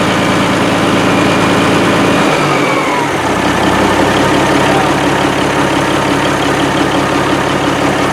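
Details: 1987 Kenworth T600 3406B diesel idling after its first start following over 20 years sitting in a field: deep, even idle with a steady firing beat that settles after a brief early change; healthy, with excellent oil pressure.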